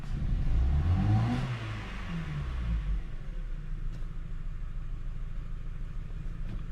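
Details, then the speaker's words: Ford Focus after plug change for no-start, using supplied new plugs: engine revs with uneven stumbling pulse, heavy vibration, flashing check light, P0300 multiple misfire; ignition dropouts from faulty new plugs. "so when i grab the engine the oh look at what's happening [Music] you can feel like a misfire right"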